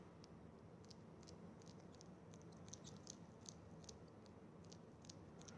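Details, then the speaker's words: Brand-new Rolex Oyster bracelet flexed by hand gives faint, thin chirps in irregular bursts, a squeak from the links. A liquid hand soap treatment is offered as the fix. "hello everyone it's this is a video to show you how this is a brand new Rolex and it squeaking bracelet"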